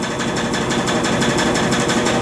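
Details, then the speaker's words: Brastemp washing machine loaded with rugs, on spin cycle: fast steady rattling buzz only under load, quiet when agitating or empty. "lava sem nenhum problema sem fazer nenhum barulho somente na centrifugação com peso é que faz o barulho"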